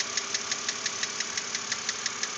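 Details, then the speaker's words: 2006 BMW Z4 3.0si at about 19,066 miles, idling: a sharp, even ticking of about six per second over a smooth idle, a persistent top-end knock. Lifter replacement did not fix it; owner hopes a cylinder head replacement will. Engine knock, cause unknown. "this is before I take it into Bill Jacobs BMW to hopefully get the head replaced and have them get rid of this noise"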